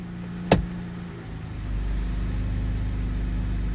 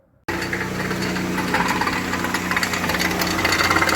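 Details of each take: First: 2019 Dodge Grand Caravan, 109,000 miles, after CV axle replacement: single soft clunk into gear, then steady low engine rumble moving the van; transmission works, though it feels a little rough and rumbly. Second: 2019 Dodge Grand Caravan, 109,000 miles, sat several months, dealer claimed transmission needed: in drive with car elevated, loud uneven metallic clatter over steady drivetrain hum; actually broken inner CV joint, cage broken and balls fallen out, splines intact.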